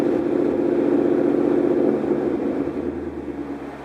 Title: DIGIROLAMO MISFIRE 2